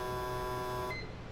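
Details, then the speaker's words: Autool CT-200 fuel injector cleaner/tester running injectors on the high-speed flow test for about 20 seconds: a steady, even, fast-pulsing electric buzz, louder than at idle. Normal injector operation. "so what we're going to do now is we're going to go to number four the high speed test and there we go you can see there's a lot more activity you can hear the louder buzzing"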